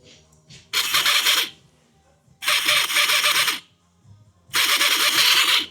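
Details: Ford Transit EGR valve actuator bench-powered with a power probe: three short bursts of high, buzzy whirring, about a second each, with quiet gaps. The actuator had been sticking, would not run at first, and worked after a tap.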